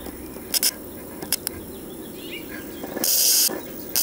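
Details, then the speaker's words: 1969 RCA KCS178A black-and-white portable tube TV, recovered from a desert dump, powered up warm with about 15 kV; irregular sharp hissing crackle bursts from high voltage arcing inside a cracked part, corona smell; high voltage arcing. "so what's going on here is it arcing inside here this is cracked"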